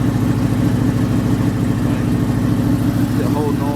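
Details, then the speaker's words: Oldsmobile Cutlass V8 idling as it warms toward the carburetor, cold 30-something-degree day: faint rhythmic puffing tick from the rear of the engine; middle header gasket replaced, rear exhaust manifold gasket still leaking, less than before. "it ain't as bad as it was but you can hear it right back there in the back with that boat we called the gasket"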